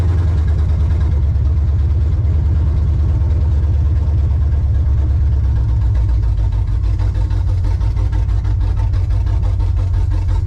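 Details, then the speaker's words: Chevrolet Monte Carlo with a starting issue. Loud, deep idle with an uneven chuffing pulse and stumbles, spitting and sputtering; the owner is unsure whether it gets too much or too little fuel. Engine sputtering. "oh yeah they getting way too much fuel or not enough fuel she's spitting and butter when I get in it"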